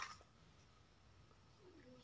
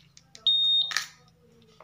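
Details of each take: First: Honda Vario 150 smart key: quiet, then a shrill steady high beep at ignition on. Immobilizer alarm because the new ECU is not yet registered to the key; ECU reset and pairing needed. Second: Honda Vario 150 smart key system after pairing: two clear steady high beeps with a soft click between. Ignition on, fuel pump hums a few seconds then stops, normal response.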